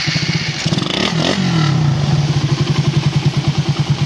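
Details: Suzuki Raider 150, 81,000 km, after replacing valves: one throttle blip then even thumping idle about three beats a second, no top-end rattle; healthy.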